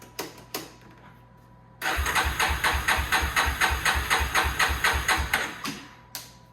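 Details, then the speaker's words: 2001 Yamaha Warrior 350 ATV after sitting, choke on, fuel tap on reserve with a low tank: starter chugs evenly, about two compression strokes a second, for four seconds without catching; no spark suspected despite a 3-year-old stator and coil, not confirmed. "Still not. Kind of sounds like it's not getting any spark, and we did have that electrical issue before, so let's check the plug really quick."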